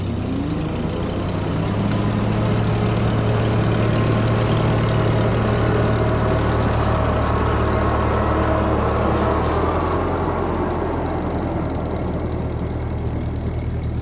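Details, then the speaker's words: 1951 Ferguson TEA20 tractor with Befco 6-ft rear finish mower: steady low idle with faint regular light clicking about four a second. Normal overrunning PTO clutch ticking. "you see if you can hear that click click click from the uh mower or from the overrunning clutch."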